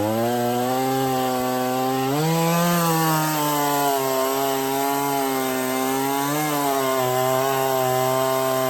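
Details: Stihl 024 chainsaw after a cobbled aftermarket air filter and carb tuning, cutting firewood on tractor forks: strong steady high note, bogs slightly into the cut and recovers, runs clean up high, not missing much; owner thinks fuel line is too short into tank.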